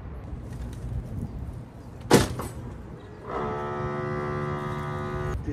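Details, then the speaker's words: RV electric entry steps: a sharp clunk then steady strained buzzing as the worn-out step motor is too weak to retract the stuck steps; motor to be replaced. "The motor's worn out. You hear that buzzing? It's because the motor is no longer strong enough to bring the steps in."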